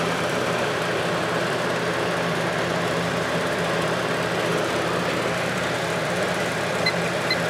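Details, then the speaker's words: 1983–84 Lasko box fan on high, with many hours and a motor repaired with adhesive: constant pronounced low motor hum resonating through the single-piece motor mount and frame under a steady air rush, no rubbing or rattling; normal. "you can really hear that hum on the ones with the single piece motor mount it just resonates through the entire frame"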